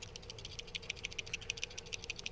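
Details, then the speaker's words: Abandoned Mercedes 300CD, a relay with its fuse checked as fine. Rapid light metallic clicking at about eight to ten per second while energized: the relay chatters. Whether this is normal is uncertain. "Which, I mean, it is a relay, so it may supposed to make that noise, or it may not."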